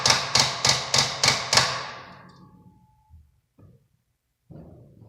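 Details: 2002 Ford Taurus won't start: six sharp rapid clicks, about three a second, with no cranking and dash alert lights; starter clicking from a flat battery, fixed by charging the battery.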